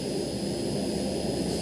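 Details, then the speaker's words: Leak-down test at top dead centre reading 60 percent: a steady rushing hiss of air heard through a hose at the dipstick tube, louder there than at the rocker cover, meaning air is leaking past the piston rings into the crankcase. "and both of them more prominent in the dipstick hole so what that's telling me is there's air leaking past the piston rings and into the motor"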